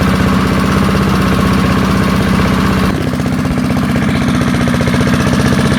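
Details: Early-1970s BF Goodrich push mower's small engine, a barn find that sat for years seized, revived after freeing up and fitting the carburetor diaphragm; even, steady putter at about four beats a second with no misses or knocks, running cleanly.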